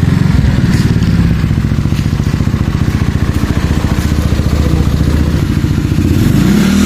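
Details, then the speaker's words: Reconditioned and tuned carbureted Yamaha Mio Soul 160 big-valve big-bore scooter engine: even rapid low thumping, steady power pulses, no knocking or rattle; formerly noisy and rattly, now quieter and healthy. "Dati maingay yung makina. Ngayon, tahimik na."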